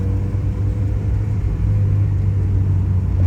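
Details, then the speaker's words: Honda Civic SiR B16A after rebuild with 81.5 mm ARIAS pistons, first drive after start-up: smooth, even low hum while driving, no knocks, ticks or whine; quiet, normal-running engine. "because it's quiet not too noisy look I mean listen sounds good see it sounds really good it's not too noisy"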